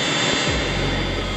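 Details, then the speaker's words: Cheap diesel heater installed in a VW T4 Syncro van. Uneven start-up noise settles into a steady roar with a hiss once it catches fire. The exhaust pipe heats up, so the heater is igniting. "It's a different voice when it starts to get fire. Now we get the heat on the exhaust pipe."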